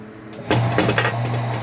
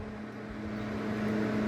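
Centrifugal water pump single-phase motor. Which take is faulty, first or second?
second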